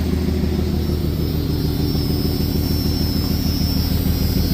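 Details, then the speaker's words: 1996 Jeep Cherokee with OBD2 idling: low rumbling lumpy pulse about three times a second, misfire because spark plug number 2 was unplugged; OBD2 did not flag it. "Oh yeah, it is misfiring because I unplugged spark plug number 2."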